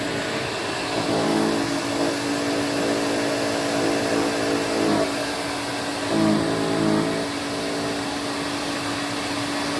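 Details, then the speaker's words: Electrolux Twin Turbo Super Z551 vacuum, about 1986: droning hum with harsh buzz swelling on carpet strokes; brush roll and bearings greased, but bearing sits off-centre due to melted thread in the head, noisy on wind-down, may ruin belt. "believe it or not the um the bearings and the brush roll itself have been greased and everything all the cleanup as usual has been done it's just the fact that it's not sitting correctly which is why it's um making that horrible noise"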